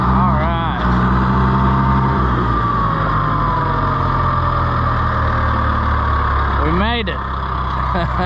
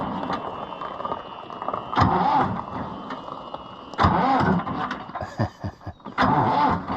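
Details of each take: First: International IH 584 diesel tractor after clearing trash from the fuel line's 90-degree banjo bolt elbow: steady, even diesel chug at low idle, no misses or knocks; runs smoothly, normal idle. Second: International IH 584 diesel tractor: cranks in short bursts about every two seconds, then begins to fire and catch.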